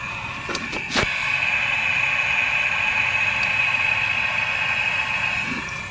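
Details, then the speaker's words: Car A/C system holding 4 pounds of Freon, sniffers reacting: steady high-pitched hiss with a thin whistle over a quiet idle; abnormal, refrigerant suspected escaping through a hole in the evaporator. "So that's what it sounds like with 4 pounds of Freon in it, and that is definitely not a normal sound."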